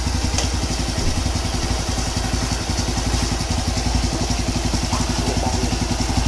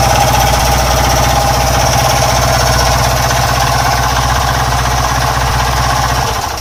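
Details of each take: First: Honda Wave 110 single-cylinder engine, previously noisy, after overhaul with new crankshaft rod bearings and a rebored block (head untouched): idles with an even, steady putter and no knocking or clatter. Clean and healthy. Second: Honda Wave 110 single-cylinder motorcycle engine: loud, harsh mechanical rattle at idle, fast steady knocking about four per second, then shutdown; several worn parts, engine knock from worn piston and connecting rod needing overhaul.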